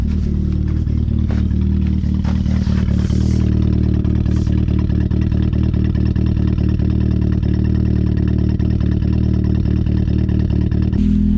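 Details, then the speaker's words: Turbo Mazda Miata MX-5 on its first cold start in about a month, idling lumpy a little over 1,000 rpm with a cammed exhaust note. A light, quick ticking is heard; owner suspects lifter tick that quiets once warm. "I got some pretty bad lifter tick too, if you ask me."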